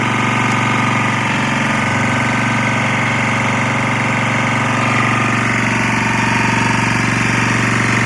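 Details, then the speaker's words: Lombardini 6LD260 air-cooled single-cylinder diesel on a traffic sign, cold start after 10 years unused, old diesel purged, fresh fuel from remote tank: steady even idle chugging against the alternator, no misses or knocks, slight smoke; running fine. "seems to be running up against the generator it's not horrible noisy it is smoking a little bit"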